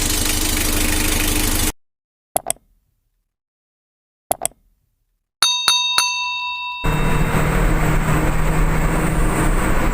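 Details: Mitsubishi L300 diesel after a tune-up, with the injection pump timing still at its factory-sealed setting. Steady, even clatter at idle with a regular knock rhythm and no misses; the engine sounds healthy.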